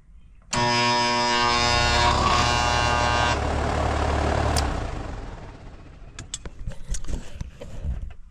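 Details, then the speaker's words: Outdoor AC condenser making a loud noise: the compressor gives a loud, harsh electrical buzz, stalled and unable to start (locked rotor). The condenser fan motor is fine and the compressor side of the capacitor reads an acceptable 45. "That's the compressor. Condenser fan motor is fine."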